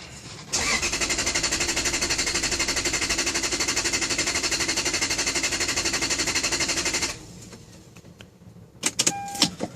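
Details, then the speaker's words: Lexus LS400 intermittent no-start: the starter spins the engine steadily at about four turns a second for six seconds but it never fires, then stops. "okay it is Lexus LS400 and it's giving me this problem it just won't start happens every once in a while and it just won't do nothing"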